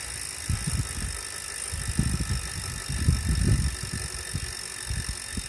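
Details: Wahoo smart trainer still noisy after cleaning, after 30 minutes warmup, while pedalling: irregular low rumbling thumps surge and fade over a faint steady whine; abnormal mechanical noise.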